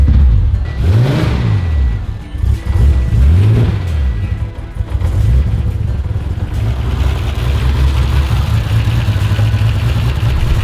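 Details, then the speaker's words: Turbo Ford Fairlane on its first start after a new boot-mounted fuel system was finished: it revs up and settles back smoothly several times, then holds an even idle with no misses or knocks and no leaks; sounds healthy. "hey god i miss the sound of this car [Music] i can't wait to drive it again well that's it god sounds good no leaks sounds sick in the boot"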